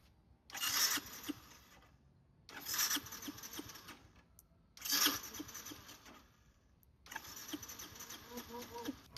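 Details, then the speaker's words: Yamaha Byson carburetor motorcycle, carburetor leaking/flooding after a battery change, cranked after carb reassembly: four short starter bursts that never fire; no-start, so next the pilot and main jet are adjusted and the spark plug is suspected. "Lalu, setelah itu kita pasangkan selang bensin masuk ke dalam karburator. Setelah itu, kita Kita tes starter, kita lihat hasilnya seperti apa."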